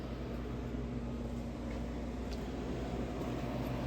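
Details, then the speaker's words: Air conditioning unit running in spring startup checks, reported to be getting cold. Soft, even hum from the compressor and fan with no rattles or surges; cooling normally. "Yeah, it's getting cold. She's running good."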